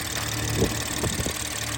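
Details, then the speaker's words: BMW 440i Gran Coupe B58, just after installing a Dorch Stage 2.5 high-pressure fuel pump and flashing the tune: after a long crank, a steady even idle with a low hum and a couple of light ticks; healthy, no leaks. "No leaks, which is awesome. Everything's nice and tight. It was like a long crank, but it started up fine."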